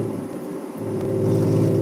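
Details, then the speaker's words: 1998 BMW 320i E46 with straight pipes, full throttle while driving: loud exhaust climbing hard with a rough, rattling edge over the drone; owner suspects ignition, engine running badly, cause unconfirmed. "That's oh my goodness. That's a very nice rattling sound. This sounds like the ignition."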